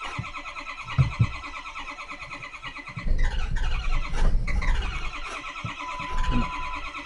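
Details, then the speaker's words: Hard start on a Ford 6.0L diesel: about three seconds of steady starter cranking, voltage dipping to roughly 10.6–11 V, before the engine finally catches and runs rough as usual. "there we go we caught it that took it a while running rough like it usually does"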